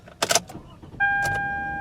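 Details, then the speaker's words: Older car started on a plain metal copy key after the transponder key was held against it in the ignition and the security light went out: a short crank that catches at once and settles into a steady run, with a chime tone over it. A normal start. "we can crank it right up, and the engine runs. Simple as that."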